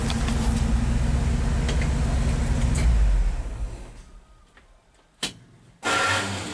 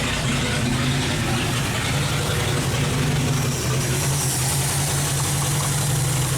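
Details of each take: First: 1970 International 1200 pickup that sat 30 years, now on a substitute carburetor that itself sat almost 10 years, no longer spraying fuel: steady, even low rumble with no misses or knocks, then winds down; smooth idle; slight dead spot under load. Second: 1970 International 1200 pickup that sat 30 years, first running after ignition work: low, slightly uneven chug with no misses; carb float stuck, overflowing fuel out the air vent; carb needs rebuilding.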